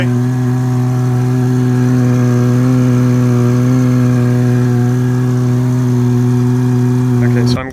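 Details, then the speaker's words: 2015 Subaru Forester FB25 2.5L, DIY Eaton M65 supercharger with capped inlets, bypass open, supercharger jumper-wired on in NA mode at idle: loud steady droning whine over smooth idle, then cuts off; pulling strong vacuum but otherwise running. "okay it is a lot louder you can tell it's pulling a strong vacuum but uh otherwise running"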